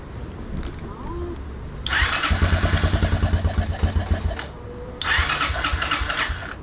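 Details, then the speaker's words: 1987 Honda ATC 125M single-cylinder after valve adjustment, carburetor set to factory spec and new coil, cap and plug, choked start in neutral on improvised tank: catches, two clean rev bursts with even firing; running much better, still suspected rich. "all right it's definitely adding a lot better so i think the valve's definitely helped let's give her a few revs yep she's running a lot better"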